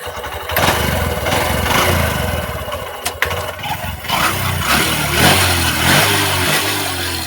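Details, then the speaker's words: SP125 BS6 motorcycle starting and idling unevenly with an irregular tapping knock on the engine beat; engine knocking, to be opened up. "तो इसमें दिक्कत हो रही है engine sound problem. तो एक बार आप लोगों को साउंड चेक करते हैं स्टार्ट करके।"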